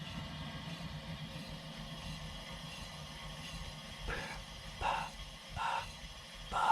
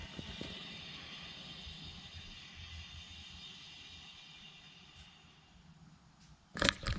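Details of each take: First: 2018 VW GTI SE, rear passenger-side wheel spun by hand: a soft whoosh about once per wheel turn, like rubbing; the other side sounds different and smoother; cause not pinned down. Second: 2018 VW GTI SE, rear wheels raised, good-side rear wheel spun by hand: soft, even whir fading smoothly, no grinding, rubbing or whoosh; normal wheel, compared against the rear passenger side with a suspected odd noise.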